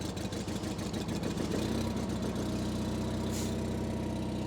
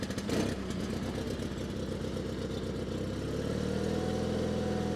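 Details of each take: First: 1987 John Deere 316 lawn tractor twin-cylinder engine, just started on choke, still cold: steady, even low putter with smooth regular beat, no knocks or misses; healthy idle. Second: 1987 John Deere 316 tractor, cold start on choke: cranks, catches, runs unevenly and hunts before settling to a steadier beat; very cold-blooded, owner suspects partially plugged carburetor jets.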